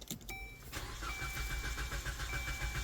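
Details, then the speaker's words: Journey towed in as a no-start: steady cranking at about three to four beats per second that continues without catching; long crank time, with a fuel pump suspected but not yet verified by a fuel pressure test. "tow in no start long crank time they think is a fuel pump"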